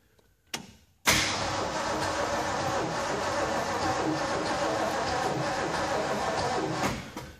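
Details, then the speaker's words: 1967 Shelby GT350 with a hi-po 289, unrestored and not run in a long time, neutral safety switch disconnected: the starter churns steadily about six seconds with an even rhythmic compression pulse, but the engine never catches. Cranking with compression, no start. "I'm going to turn the key forward and crank it over when we crank it we do hear compression"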